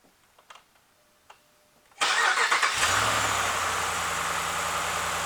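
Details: Hemi V8 truck, previously misfiring and not starting without the gas pedal held, after replacing one broken intake valve spring: a short crank, then it fires and settles into an even idle with no stumble or ticking.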